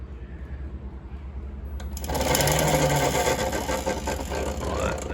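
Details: Nathan's custom Voloci electric bike, out of storage, key on, rear wheel spinning free with a sticky throttle and bent rear disc rotor: quiet hum, then rough, fluttering churn about three pulses a second; motor cogging, owner suspects an early brushed motor.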